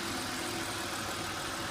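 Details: 2000 BMW 528i E39 (cylinder 2 misfire, P0340): steady, even idle with a smooth hum and no misses or knocks; healthy and settled.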